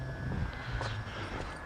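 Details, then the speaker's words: 2004 BMW E46 325Ci with a crank-no-start: with the ignition on and a jump pack connected, a steady, thin high electrical buzz runs constantly; cause not yet found. "Really not liking that that loud buzz that we're hearing, but we'll have to solve that later."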